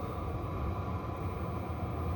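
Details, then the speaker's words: Chinese 12V 5kW diesel parking heater with 3-button LCD, powered by a generator with the car off, getting quieter as it settles: steady even roar with deep low rumble, plane-like, no knocks or surges; normal running, very hot outlet air. "you can tell it's getting quieter sounds a bit like a plane i mean not as loud but i'm just saying the sound"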